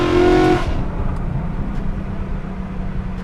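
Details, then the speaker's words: BMW E92/E93 M3 V8 accelerating with windows open and exhaust valves open after cracked plenum glass (vacuum leak) was replaced with Lexan: loud deep steady roar, strong induction note, smooth and even; normal acceleration. "wow I forget how loud this car is with the windows open"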